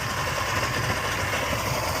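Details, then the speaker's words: Suzuki 150 outboard that hasn't run in a while, started for a baseline evaluation: steady, even drone with fast smooth rhythm, no misses or knocks; running normally after long storage. "All right, success. We got it fired up."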